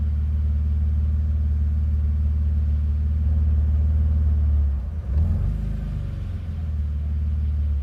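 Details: BMW Z3, cold engine: low idle drone that dips and wavers around five seconds in before settling; rough, uneven cold idle.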